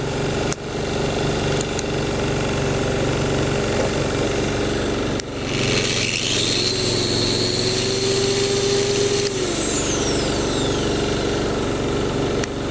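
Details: Small single-cylinder petrol generator after repair (new jet, rubber seals, gaskets, governor spring refitted) that previously surged and seemed to misfire: steady, even note while powering a 1,400W angle grinder, no surging; running normally under load.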